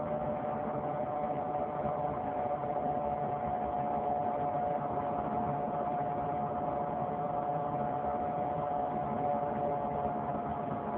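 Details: 2003 Saturn Vue 4-cylinder AWD, with the check engine and coolant lights on: a loud whirring hum from the front driver wheel area that rises and falls with road speed. A hub replacement did not fix it, and the cause is unknown.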